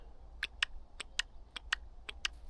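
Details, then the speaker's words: Intake VANOS camshaft solenoid from a BMW E70 X5M, removed and power-probed on the bench: crisp, clean clicks, switching normally; resistance 11.1 ohms, spot on, nothing wrong with it. "seems to be working fine. 11.1, so this is spot on. So according to the tests, there's nothing wrong with this one at all"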